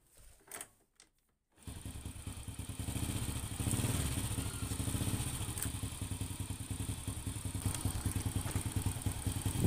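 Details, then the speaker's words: Honda Supra X (C-series engine, AC CDI) whose spark plugs keep fouling black and oil-wet within hours: starts after tries, then idles with a slightly rough noise from the cylinder head; worn valve guides and valve stem seals. "ternyata mesinnya mau menyala walaupun ada bunyi sedikit kasar di bagian Silinder Kop nya ini ada bunyi suara kasar sedikit itu nanti bisa diperbaiki atau dianalisa lebih lanjut lah"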